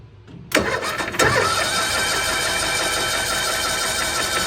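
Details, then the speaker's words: 1992-ish Cushman Truckster, sat years in a field, cranking: steady, even churn with hissy whine, never fires, lots of air out of oil cap; owners suspect blow-by or high compression; crank no start, cause not confirmed. "There is a solid amount of air coming out of there when I'm cranking it over."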